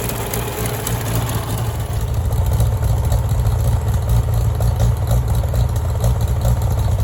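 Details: Farmall tractor (1949 H or 1968 656) being sorted for fuel issues and cutting out, running steady and even with no knocks or misses after carburetor adjustment; it had barely run over 30 seconds before. Owner plans a full fluid flush and possibly dropping the fuel tank again. Normal running.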